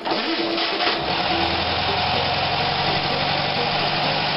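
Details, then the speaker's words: Summer cold start of a VW after sitting a couple of days following cleanup: catches quickly and settles into a dense, steady idle with no stumble, tick or knock; sounded pretty good, a clean, healthy cold start. "sounded pretty good [Music] sounded pretty good"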